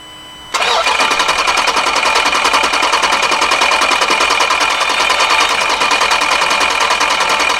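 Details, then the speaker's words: Car after a snapped belt was replaced, engine had reached 240°: steady starter churn runs over seven seconds without catching; extended cranking, cause not yet known. "all right that clink cranked a lot longer than I thought it would but it looks like everything is hooked up correctly"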